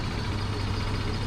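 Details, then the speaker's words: Vento Max 200 scooter after the starter was removed, lubricated and refitted to cure a pronounced screech at engine start: steady low engine hum with no squeal or grinding; the noise is gone after lubrication. "Вот, по сравнению с первым видео до ремонта, там он прям ярко был выражен, вот такой вот скрип, или даже не знаю, как его назвать. После смазки все пропало."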